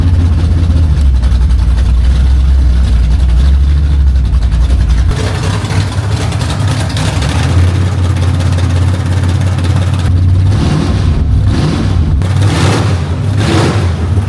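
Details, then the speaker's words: 1967 Camaro V8 with open headers and a roll bar, just collected: loud, deep, lumpy rumble at steady idle with a few throttle blips; sounds good, loud and ready to go, a normal V8 idle. "that sounds good it's loud ready to go it's loud"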